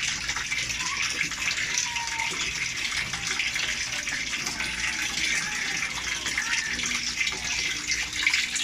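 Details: LG automatic washer, where water had kept filling and draining out, set to a very low level: steady hissing rush of water with no stutter or buzz. The washer fills and holds water normally.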